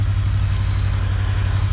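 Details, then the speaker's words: 2021 KRX 1000 Trail Edition idling with new S&B particle separator installed; low even hum, faint fan sound, very quiet and smooth, normal. "can't even hardly hear it at all"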